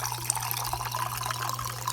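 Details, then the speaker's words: Dishwasher after a broken plastic fork piece was cleared from the sink air-gap diverter; steady low pump hum under an even rush of water through the drain into the disposal and out the drain line, normal free drain flow. "So this is the normal cycle. And water's pumped out. You hear it going through the drain, going into the disposal, and then out the drain line."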